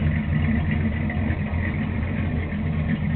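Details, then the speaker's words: Newly installed motor with a performance cam in a Chevy with a pop trunk, idle after crank-up: low rumbling, slightly uneven choppy lopey beat, steady with no knocks; the owner says the cam "hit a little bit", a healthy cammed idle. "It hit a little bit."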